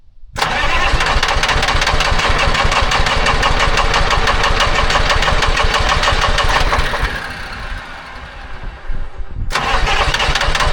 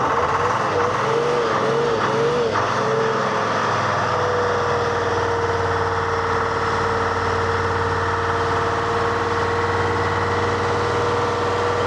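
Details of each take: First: Telehandler swapped from John Deere to Detroit Diesel 3-53 two-stroke, after fuel filter change, sat a couple of weeks, cold start at 60°F without ether: quick catch after brief cranking, then steady even clatter; normal cold start. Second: Telehandler with Detroit Diesel 353 two-stroke, hand-idled at full: surges then holds steady high drone, never settles to idle, really struggling; plugged fuel filters (secondary suspected).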